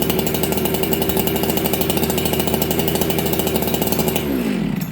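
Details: Ported chainsaw (266XP or 365 Special), first start in a year, not warmed up: high fast idle for about four seconds, then the revs sag and die. Fast idle with stumble; owner doubts it's an idle issue and plans to turn the low jet 1/8.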